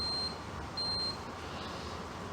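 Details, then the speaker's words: IBM 4400 thermal label printer with a dirty media sensor, after a power cycle: two short high-pitched beeps in a quiet room. It reports the label gap not detected, and a setting problem is suspected. "if it says it can't detect the gap again it's going to be a setting"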